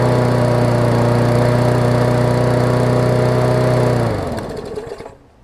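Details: Murray 20-inch 3.75 hp push mower, long dormant with freed stuck intake valve, first run, old oil: single-cylinder putters at low steady beat then dies after four seconds; running but slow, governor arm was stiff.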